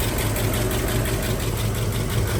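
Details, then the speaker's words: 1956 Oldsmobile Eighty-Eight 324 V8, automatic, 99,420 miles (undocumented), power steering: steady, even idle with no knocks or misses. Runs good. "There's the old rocket, got power steering. Runs good."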